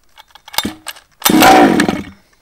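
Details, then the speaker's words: Baja two-stroke engine after the spark plug was pulled to clear excess fuel and refitted; primed, choke down, a few pull-cord rattles, then it catches briefly with a raspy buzz and dies: first fire on choke. "so give your baja a prime put the choke down give it a pull"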